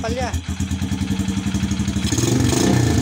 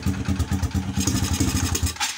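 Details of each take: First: Honda XRM motorcycle that misfired and charged weakly, test start after rewiring with a jumper wire to the battery during a full-wave rectifier/regulator swap: starts, revs up, settles to an even beat with no skips or pops before shutdown; runs cleanly. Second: Honda XRM motorcycle with weak charging, idling with the battery disconnected: uneven, thumping, skipping idle. The rectifier regulator is being replaced with a full-wave unit. Engine misfire.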